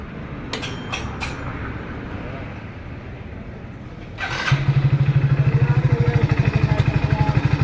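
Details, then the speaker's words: Hero Splendor Plus BS6 motorcycle that had a loud rattling engine noise; after an engine oil change it idles with an even, steady thump about three beats a second and no rattle, noise fixed. "दोस्तों इसकी आवाज एकदम सही हो गया number एक का कोई दिक्कत नहीं दोस्तों ठीक है दोस्तों आवाज इसका सही हो गया"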